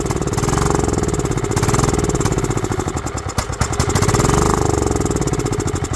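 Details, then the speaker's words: Goat-trampled Craftsman lawn tractor, 16.5 Kohler engine, restored tank, new fuel filter, fuel solenoid jumpered: pops and catches, revs swelling and sagging, running only on spray; carburetor float needle stuck so no gas reached the bowl. "well I guess in that carburetors hey not happy or that solenoid's not opening up letting fuel in"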